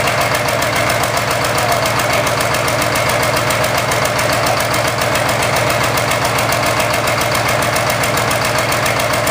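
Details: Engine running with an irregular stumbling thump, roughly two beats a second, breaking an otherwise steady idle; an engine misfire.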